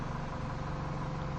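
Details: 2011 Mini Cooper S after faulty ignition coil replaced and fault codes cleared: steady, even idle with smooth low hum, no stumble or ticking; engine sounds healthy and balanced.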